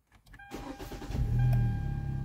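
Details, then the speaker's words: 2013 Hyundai Elantra GT hatchback 2.0 L, heat-soaked hot start after replacing crankshaft and both cam sensors (previously slow cranking, erratic tachometer): short half-second crank, catches cleanly into smooth even idle; normal hot start. "oh wow starts up a lot faster too we got this thing whooped"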